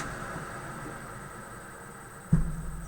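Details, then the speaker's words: Newly wired spray booth extractor fan switched on: low steady hum with soft even whirr, no knocks or scraping; running gently, normal fan running. "gentle no problems at all"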